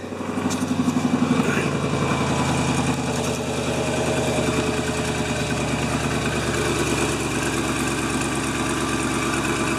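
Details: 1997 GMC Suburban, restarted after fuel filter and spark plug replacement with drained fuel lines: catches quickly and settles to an even, steady idle without misses or stumbles; normal idle.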